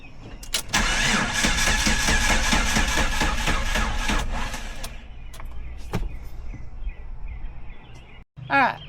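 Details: Jeep with crank-no-start, tested after replacing the crankshaft position sensor: starter churns evenly about two turns a second but the engine never fires. Still won't start; camshaft sensor and computer are the next suspects.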